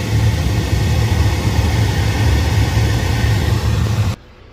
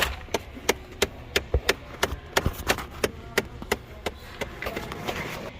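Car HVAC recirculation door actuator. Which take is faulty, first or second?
second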